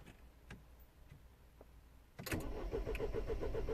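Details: 2010 Mini Cooper S 1.6 N14, non-runner: steady cranking about four turns a second, never fires, crank no start; no crank or cam signal reaching DME, fuel pressure during cranking also very low.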